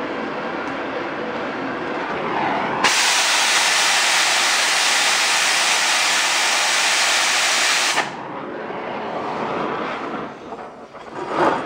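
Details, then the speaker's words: Oxy-fuel torch cutting thick plate with a quarter-range rated tip: strong, steady hiss for about five seconds with a sharp start and stop; clean sound coming off the bottom of the cut. "I like the sound coming off the bottom yeah it's nice and clean"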